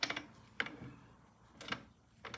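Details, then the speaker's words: 1971 Norton: the kickstart ratchet gives short bursts of light clicking while turned by hand during a clutch inspection, with the inner hub teeth only slightly worn. This is normal kickstart ratchet clicking. "okay hear that clicking that's the kickstarter ball"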